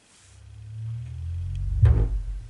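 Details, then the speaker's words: Second Bose Bass Module 300/700 added in the app after a no-sound solid white light fault: low swelling rumble ending in a soft deep thump; normal confirmation tone that the subwoofer is connected and working. "Right now that noise is a sign that the subwoofer is now working and it's connected."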